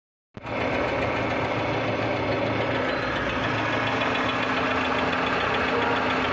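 Right after start-up the idle carries an uneven knocking patter of roughly three to four beats a second; cause undetermined.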